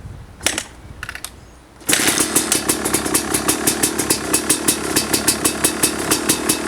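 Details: 2005 Kawasaki KX250 two-stroke, first fire-up after rebuild for low compression (piston shot, plating questionable, crank play): after a couple of kicks, crisp even idle with regular crackling firing; healthy and strong.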